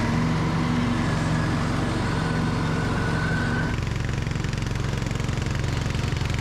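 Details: Free riding mower running with safety features bypassed and a rigged kill switch, driving and cutting under load; steady low single-cylinder thump, even and unbroken; the engine runs healthy.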